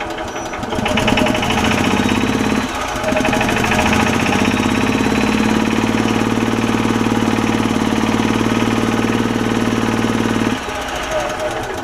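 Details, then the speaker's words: 2006 Club Car DS gas golf cart with Kawasaki engine, in for a bad running oil leak (blown crankcase gasket), idling: a rough, rapid light knock of three to four per second; owner suspects it was once run low on oil. "I think somebody is running low on oil at some point because it's got a little bit of a sounds like a little bit of a knock to it and uh smoking a little bit"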